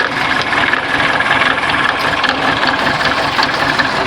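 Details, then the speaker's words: Engine suddenly making a strange noise at idle, an uneven rattly clatter with no clear steady beat; sounds like something loose inside, cause not confirmed. "Tá um barulho muito estranho e não tava. Tá tudo normal. Parece que tem alguma coisa solta aqui dentro."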